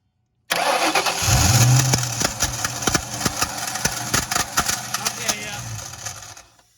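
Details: 2001 Ford Mustang GT Bullitt, recorded at the starter from underneath: engine fires, then sharp, uneven metallic clacks about three a second as the starter drive stays engaged and hits the flywheel.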